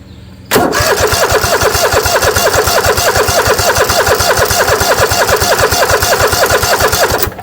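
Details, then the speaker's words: Kohler 7000 Series engine on Troy-Bilt zero-turn mower after carburetor replacement, carb not yet filled with fuel: starter churns evenly about three turns a second for seven seconds, never fires; fuel shutoff valve left closed. "wait the shutoff valves on oh yeah we forgot put a shutoff valve in here forgot to turn gas on got it now"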